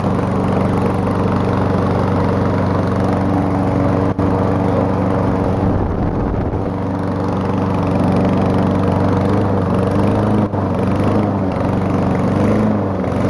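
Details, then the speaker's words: Old small single-cylinder lawn mower engine, started with ether; steady fast idle with coarse uneven chuff and heavy blow-by smoke from the crankcase vent, owner attributes it to bad rings burning oil; rough running, worn engine. "And she's a smoking beast. Yeah, as you can see, it does a ton of smoking out the crankcase vent."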